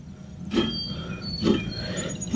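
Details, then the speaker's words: 2004 Acura TSX 2.4, rear wheel bearing checked with the rotor removed and the hub spun by hand: a gritty low rumble swells with each push, about once a second. The other side is smooth; this rough rear wheel bearing needs replacement. "so there's our noise i can't even feel it oh yeah yep i can feel it right there if you see that it's kind of it's not smooth"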